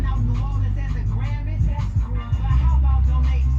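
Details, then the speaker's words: Car audio subwoofers on bass-heavy music compared across amps: loud hits break up with uneven thumps, crackle and popping; distortion that can blow the speaker, as apparently happened to this box. "distortion will destroy a speaker if this figure ain't hitting and sounding nice and clean but you hear all that popping and distorting you're gonna blow that speaker"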